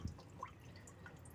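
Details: Honda Civic Wonder with coolant leaking like a waterfall from the water pump and a rough engine noise: a few faint, irregular drips of liquid in a quiet space; coolant leak.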